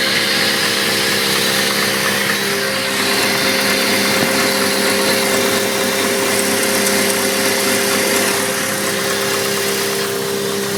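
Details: Turbo S10 idling; a dull, fairly regular knock about four times a second under a steady hum and hiss, an engine knock.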